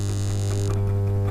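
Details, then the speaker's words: Audio amplifier board under repair, with the 2030/4440/6283 ICs referenced. Touching a finger to a channel's audio input pin gives a steady, even low hum from the connected speaker, showing that channel and its IC are working. "कि उंगली रख या कोई भी यहां पर हमें नहीं आएगी इधर तो आई कि नहीं क्योंकि इस चैनल जैसी है वैसे भी आपको इसमें हम सुनाई दे रही थी यह बेस की है"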